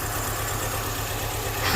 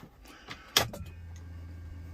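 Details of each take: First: 2005 MINI Cooper petrol engine idling with one fuel injector unplugged to simulate a clogged injector: RPM drops and it misses with an uneven puff-puff beat from the dead cylinder. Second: 2005 MINI Cooper compression test, all spark plugs removed, gauge on one cylinder, expected 150 psi: steady, even starter drone as the engine turns over, pressure building and holding, a good cylinder; normal cranking.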